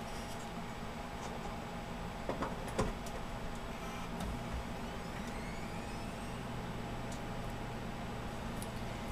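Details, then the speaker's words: PC power supply jump-started with the motherboard connections unplugged, remaining hardware still attached: steady low hum and clicks as a faint thin whine rises while the hard drive spins up; the power supply works normally. "as you may have heard the um hard drive spun up so power supply is in fact working"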